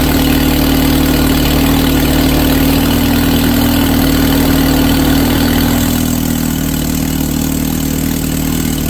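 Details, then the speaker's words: Suzuki SX4 just fitted with a Holley 3200 carburetor on an Offenhauser adaptor, replacing a failing Varajet II, with an electric fuel pump at six psi: a loud, steady four-cylinder idle with an even beat and no stumbling or tapping. Normal idle. "All right, that was super cool. It fired right up. Well, couple cranks, but uh fired off and uh it sounded pretty snappy."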